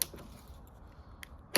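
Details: B8-generation Audi Q5 with an intermittently faulty fuel door actuator that had trouble locking, tested before replacement by closing the fuel door and locking the car: quiet background, then a couple of sharp mechanical clicks as the actuator strokes; it works on this cycle.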